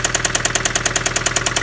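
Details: 2005 Honda Civic idling with a steady, sharp, even knock about ten times a second: rod knock from a worn rod bearing.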